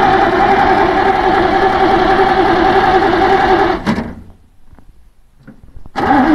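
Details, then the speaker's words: 1948 Bedford six-cylinder truck that sat 15 to 20 years, on a makeshift fuel tank after a sticking needle and seat was freed: starter churns steadily about four seconds without catching, then cranks again; apparently no spark; cranking no start. "doesn't look like we have any spark"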